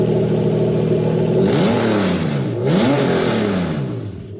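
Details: 1JZ-GTE VVT-i from a Toyota Crown JZS171 in a Lexus IS200 with manual gearbox and new plug-and-play harness, drive-by-wire test: engine blips up and falls back cleanly twice with no stumble or misfire; normal throttle response.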